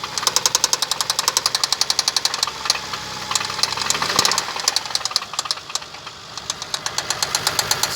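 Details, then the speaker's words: Toyota Kluger with 1MZ engine: sharp metallic ticking about four per second, steady at idle over the engine hum; a hard internal knock that appeared within 100 km of an oil change, cause not yet found. "После замены масла, не проехал 100 километров, стуканул."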